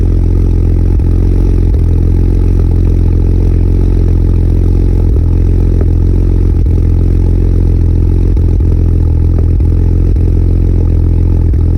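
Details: BMW E92 335i with N54 engine: loud idle with an uneven beat and occasional stumbles breaking the rhythm. Engine misfire, injector suspected but not confirmed.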